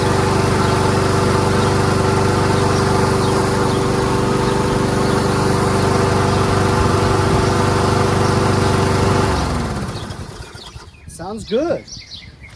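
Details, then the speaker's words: Toro Recycler Personal Pace rear self-propelled mower with Chinese Loncin engine, running after repairs: steady single-cylinder drone at a lazy, slightly low pace for nine seconds before cutting out; engine speed set too low, RPM should be adjusted up. "the RPM should be adjusted a little."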